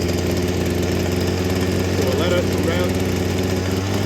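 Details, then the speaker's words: Two-stroke saw on 50:1 mix, started on half choke, run about 20 seconds, then choke pushed off: a steady, even low-rev burble with no misses or surging; a normal warm idle. "there for about 20 seconds and then you're going to push the CH off and she'll idle quite nicely at rest just like that"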